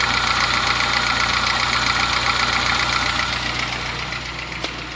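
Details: Honda Fit gasoline engine at idle: steady ticking knock about four per second, diesel-like, like an old Kombi diesel or sewing machine, easing slightly as the engine warms; source undetermined, car sent to workshop for repair.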